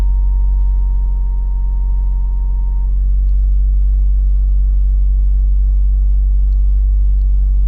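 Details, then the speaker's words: Toyota Celica GT4 ST205 JDM engine that starts and idles fine: on each throttle blip a clean, steady high electric whine near 900 Hz rides over the engine drone for about three seconds. It seems to come from the left side; source unknown. "There is the noise. As soon as I put the foot on the throttle."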